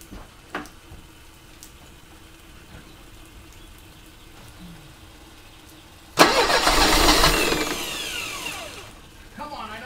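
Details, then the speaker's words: 1985 Mercedes 190E, KE-Jetronic, fuel accumulator replaced, fuel pressure adjusted down to about 3.5: near silence, then a short loud rush as the engine almost catches and dies; cranks but won't start, cause not confirmed. "know you want to baby all right well that was close that was very very close"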